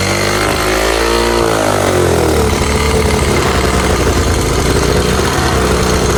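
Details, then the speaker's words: 1986 Honda Fourtrax 70 ATV restarted after a stator replacement, carb adjustment out of whack, air cleaner off, choked and spitting gas: it flares up and holds a loud, fast buzz like full throttle, never dropping to a slow idle. High idle; owner hopes refitting the air cleaner will help. "Got it started right up first try, but now it's idling super high. It's like it's at full throttle."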